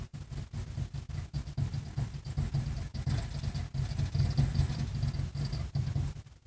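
Low thumping pulses about two and a half per second, uneven, with no steady run-up: the blower motor is rocking back and forth and not starting.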